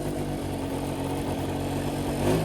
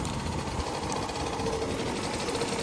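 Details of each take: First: 1983 Honda Aero 50 two-stroke scooter at 4,393 miles, fresh transmission oil, original rear wheel refitted, test ride: even, steady buzz with constant pitch, earlier knocking gone; normal running, though a minor weird noise possibly from CVT cover remains. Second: 1983 Honda Aero 50 scooter, two-stroke, just running again mid-restoration: fast, light rattling tick over a buzzy idle, like a sewing machine; head suspected, but the head stud bolts feel tight, cause unconfirmed.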